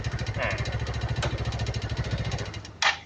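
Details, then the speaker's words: Yamaha Mio 115 scooter after rear shock noise was fixed: fast even metallic ticking rattle at idle after starting; mechanic suspects the connecting rod or the cam chain and automatic chain tensioner, unconfirmed. "แต่หลังจากที่ครูติดเครื่องเนี่ยนะครับจะมีเสียงดังแกกๆๆๆๆๆอันนี้ก็คือครูก็ดังไว้2จุดนะครับก็คือ1เสียงดังมาจากตรงก้านสูบกับ2ของเสียงดังมาจากเรื่องของโซ่ราวลิ้นหรือพวกตัวดันโซ่อัตโนมัตินะ"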